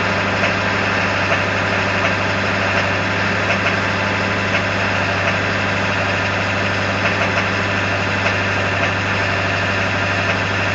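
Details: 1999 Ford F350 7.3L diesel in gear at high idle under power: a steady, rapid knocking through the diesel clatter at low RPM, source and cause unknown.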